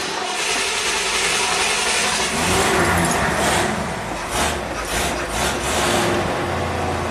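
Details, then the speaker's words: 1969 Ford Mustang Mach 1, revived after sitting for years, cold-started with gas pedal pumped: catches and settles into low, steady rumble with a few throttle blips, running evenly while warming up before driving; normal cold start. "Let it warm up for a second."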